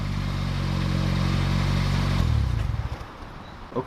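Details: 2007 Toyota Corolla LE, cold engine, TRD muffler (PTR0302061) just installed: smooth even idle with low steady exhaust drone, then engine shuts off; healthy, no rattles.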